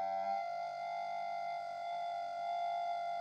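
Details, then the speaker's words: Castle steam boiler gas burner with number 5 jets, which howl worse than the number 16 jets: a loud, steady howl at one fixed pitch with no pulsing. Pulling the jets down into the venturis stops the howl but gives a bad chimney smell. "we now have number five jets which are actually worse than the number 16s for making a noise"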